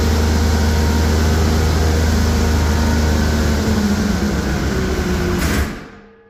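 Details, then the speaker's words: Polaris triple snowmobile engine ran a few minutes with a steady low drone, then died abruptly within half a second; still spins but tight, owner thinks it locked up; engine seizing. "put it something well that's not a good sound gentlemen that sounds to me like that just locked [Applause] [Applause] up okay so it ran for a few minutes and then she died"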